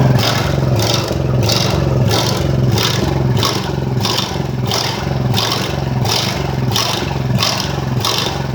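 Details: Ridgid generator, Honda GX390, running after repairs and months idle, not fully fixed: speed swells and dips about every 0.6 seconds, never settling. Engine hunting, cause unconfirmed.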